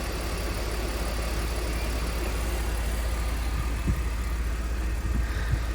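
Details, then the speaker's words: 2004 BMW E46 325i Touring, unused for a very long time, idling after a jump start; deep, even rumble with steady rhythm and no knocks or misses; normal idle. "But that sounds so good, that engine."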